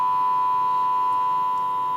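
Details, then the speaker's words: Micromega DUO Pro DAC with background noise fault, at 48 kHz sampling: steady test tone sounds rough and buzzy with a lower note superposed, roughly 30% distortion on the channel; nothing output without signal. "si on écoute il obtient une espèce de grésillements superposés aussi là on entend de notes at on bien le un commerce on entend une même plus grave on entend bien quelque chose or bien sûr la distorsion est considérable sur le canal est un élément de 30%"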